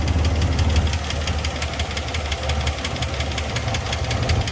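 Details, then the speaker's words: 2004 Chevy Silverado 5.3 L V8, 225,000 miles, towed in after dying while driving, almost no oil and about 6–8 psi oil pressure: heavy steady knocking, about three beats a second, over a rough idle; owner suspects the engine is seizing. "i got a funny feeling this motor is seizing up on itself"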